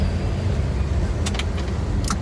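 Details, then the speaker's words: Mitsubishi L300 FB-type diesel with morning hard starting; with the sending unit unplugged, key on: low hum with sharp separate clicks about a second apart as the glow plug heater controller relay switches. "Ngayon guys may lalagitik na 'yan kasi pinunot natin 'yan."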